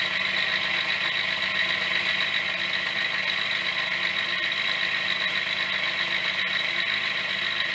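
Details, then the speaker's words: Yamaha DT50MX two-stroke, restarted after sitting about a year on choke with dead battery: thin tinny idle with loose metallic clatter; owner says it sounds like a bag of bolts, suspects bearings, not confirmed. "oh still sounds like a bag of bolts bearings"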